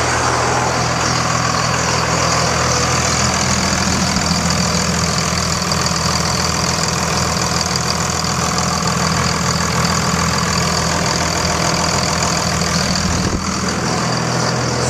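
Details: 2000 Dodge Ram 2500 24-valve Cummins turbo diesel after replacing a leaking fuel filter (defective gasket, loose cap): a steady, even idle clatter with no stumbles. Fuel pressure is normal and the leak seems fixed.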